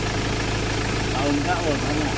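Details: Ford Ranger XLT, previously cranking with no start from an ECU problem, now running after a brand-new computer box was fitted and programmed: low, even idle with a steady rumble, no hunting or missing; normal idle.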